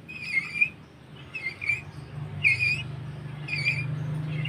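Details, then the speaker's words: Honda Supra motorcycle lacking power on hills: turning the clutch bowl of the dual clutch by hand gives high squeaks about every second over a low hum; dirt carried in by the oil was found inside. "seperti terdengar ada suara mendecit"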